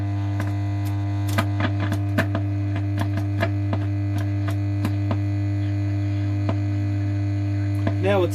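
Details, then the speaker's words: Pilot radio at switch-on: loud, steady low mains hum with a few faint clicks; owner suspects an open-circuit reservoir (smoothing) capacitor, unconfirmed. "like the reservoir cap is open circuit but i can hear rta in long life"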